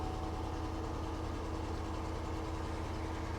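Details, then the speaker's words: 2008 Cadillac DTS, 100,000 miles, check engine light on, oil change due, just after start: steady low drone with slightly uneven pulse about 2.5 beats a second; not the best sounding engine, rough running. "Oh, not the best sounding engine."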